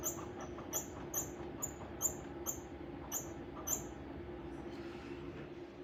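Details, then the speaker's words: Bai embroidery machine: sharp, high-pitched squeak repeating about twice a second in step with the stitching cycle over a low mechanical rumble; source of the noise located, fix not yet known. "noise don't know what to do at this point but that is the cause of the noise right here"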